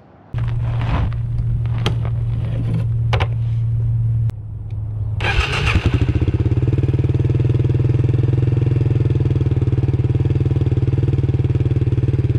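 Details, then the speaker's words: Suzuki DR350SE dirt bike revived from abandonment, started after new parts fitted and valves cleaned: cranks and fires, then settles into a steady, even single-cylinder thump with no misses or tapping; normal idle. "let's turn it on and see what happens that looks a lot better"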